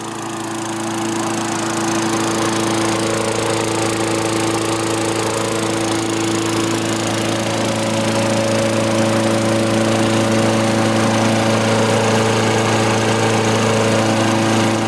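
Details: Vintage Craftsman 21-inch mower with 6.25 hp Tecumseh engine after tune-up and replacement spark plug: steady, even drone with no misfires; healthy running.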